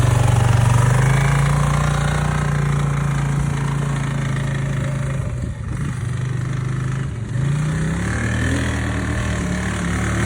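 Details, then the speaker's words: CF Moto 800 four-wheel-drive UTV engine at idle: low, uneven knock about four times a second. Copper-colored flakes found in the drained oil indicate worn bearings, and the engine is removed for a rebuild. "which indicates that the bearings have worn out and it was knocking from that"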